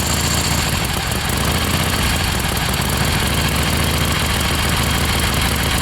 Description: 1976 XLCH Ironhead starts and idles fine but misfiring a lot when ridden